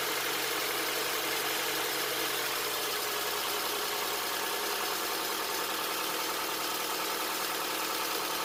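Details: 2007 Honda Accord, first start after timing chain replacement with Mellings kit: even steady idle with light ticking hum, no knock or rattle, no check engine light; healthy, not yet at operating temperature.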